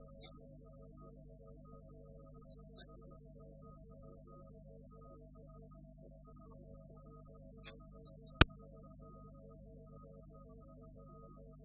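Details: Trinitas radio receiver on FM stereo: constant low hum and hiss under faint program audio with one sharp click, noisy stereo reception.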